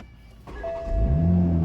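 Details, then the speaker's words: Wrecked 2020 Toyota Supra with front-end damage, about 2,546 miles, first start after purchase: brief crank, catches within a second and settles into a steady run, no glitches; only airbag lights on. "what the heck this thing did no glitch no nothing it started so fast"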